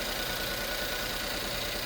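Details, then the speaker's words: 2011 Ford S-Max 1.6 EcoBoost after repair of fuel leak between turbo and exhaust manifold and severe misfire, bad injector: fine, fast, even sewing-machine ticking idle, no misses or stumbles, no leaks; normal idle. "Crank. Sounds like an EcoBoost sewing machine."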